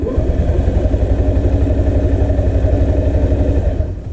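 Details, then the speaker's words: 2005 Honda Metropolitan scooter, no-start: starter turns the engine over with low, even chugging for four seconds without catching; runs on starting fluid, so a bad fuel pump is suspected. "Uh I suspect I did try some uh starting fluid in the intake over here on the side. So I took the uh air intake panel off, jetted some quick start in there. And uh it does run on that. So I suspect we have a a bad fuel pump here."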